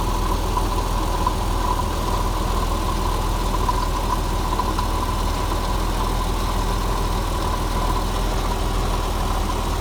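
Steady, even idle with a faint metallic rattle riding under the engine note; a rattle at the front of the engine, cause not pinned down. Cause suspected, not confirmed.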